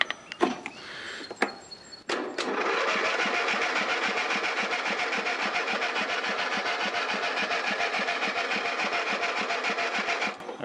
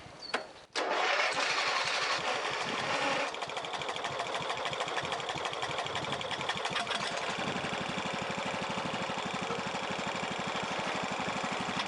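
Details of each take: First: Old Husky mower that sat and won't start, bad gas suspected: starter drags the engine slowly, about two and a half turns a second, never fires; slow cranking from a weak battery that needs charging. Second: Old Husky lawn mower after carburetor cleaning and fresh gas, having sat with bad gas: after a couple of pulls it catches and settles into a steady, even putter with no misses; normal start and idle.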